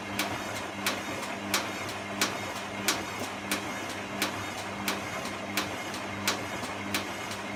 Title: Clicking noise